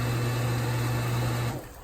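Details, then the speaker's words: Infinity Spas hot tub pump number two after motor rebuild for a worn bearing and wet end replacement: steady smooth low hum, no grinding or rattle, then winding down at shutoff; previously made a racket, now healthy. "this is the one to be rebuilt that was making such a racket that sounds so much better they're pumping"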